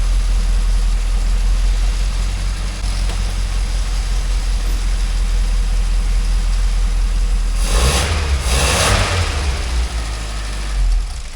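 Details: 998cc Mini Clubman started for the first time in years after refilling the carburettor float chamber: the engine runs steady and a little fast on choke with a deep, even low rumble and one brief blip.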